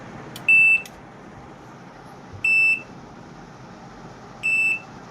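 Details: LG inverter fridge PCB after replacing the IPM, started with the test button: three clean identical high beeps about two seconds apart with no error pattern and no LED blinking, then the compressor starts and the board is OK.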